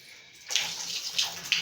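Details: Mixer tap that hummed, after replacing the cartridge valve and fitting a washer bent to the shape of the old one: a steady hiss of running water with no hum or buzz; normal quiet flow after repair.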